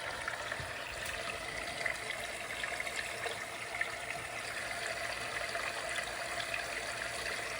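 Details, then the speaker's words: MKV Toyota Supra interchiller coolant loop, pump just switched on with no leaks after re-routing valve lines: steady gurgling and bubbling over the pump hum instead of smooth flow, air trapped in the loop; owner assumes it is not completely full. "Oh, yeah. I can tell there's a lot of air in there. You can hear it. Cuz normally it wouldn't make that bubbling sound."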